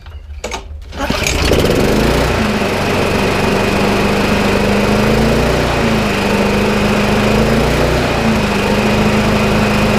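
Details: Sitting McCall Star lawnmower: pull-start cough then steady, even single-cylinder drone at constant pitch; runs smoothly and healthily.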